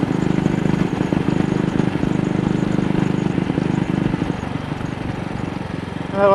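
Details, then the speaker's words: AJS single-cylinder motorcycle on the road, throttle still sticking after cleaning the carburettor slide: irregular, stumbling beat with dropped firing pulses that persists at wider throttle; misfire, owner suspects something got into the carburettor. "See, it's just that slight throttle opening. If I open it up wider, now it's still misfiring."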